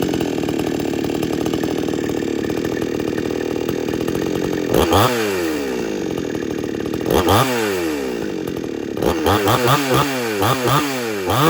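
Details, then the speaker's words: XtremepowerUS 6200 62cc two-stroke chainsaw with 20-inch bar and chain, phone set down nearby, needs no primer bulb for cold starts, owner prefers a slower idle: even low-speed run, then quick throttle blips rising and falling cleanly; normal running. "But it does run real good."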